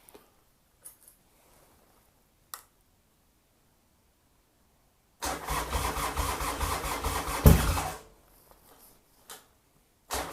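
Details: Starter cranks the engine steadily for a few seconds during a 40-second heat cycle, turning over but never catching: crank, no start.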